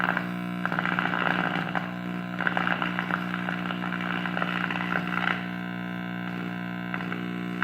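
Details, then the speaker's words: Early-1940s Truetone D1203 transformerless radio under repair: steady mains hum with irregular crackles and pops as the dial moves; tuning capacitor suspected shorting, needs cleaning; crackling static while tuning. "thumping up anything it sounds like there's crackling what time I come to dial so go sounds the tuning capacitor shorting"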